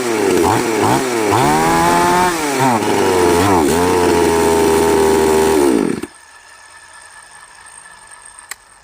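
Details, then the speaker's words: Chainsaw, model 5200, owner reports it dies when hot; choke linkage broken; carburetor L and H screws reset to 1.5 turns: fires and revs unevenly for a few seconds, then cuts out abruptly; starts then stalls. "หายไปเลยครับติดแล้วกระดับหายไปเลยน่าจะอาการนี้ครับที่เขาแจ้งคือสตาร์ทติดร้อนแล้วนะครับผม"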